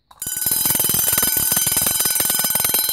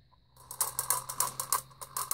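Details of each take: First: Two vintage Vulcan Autosonic Mk. 30-A (VA-M-30FT) windup heat detector bells set off together: fast, steady, strong sustained clanging at an even rate; both mechanisms working properly. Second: Vintage Vulcan Autosonic Mk. 30-A (VA-M-30FT) mechanical windup heat detector bell: reset plunger won't stay pushed in, so it keeps setting itself off; rapid metallic ratcheting clicks about four per second continue after reset.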